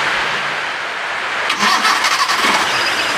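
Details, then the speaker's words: 2003 Suzuki Carry pickup 1.0 with carburetor, engine in healthy condition: fires right away on the starter without throttle and settles into a smooth, even run with no metallic noises or ticking. "nah ini masih karburator tanpa saya gas kita starter udah langsung jalan udah langsing nyala maksudnya suaranya Suaranya kayak gini ya suaranya halus"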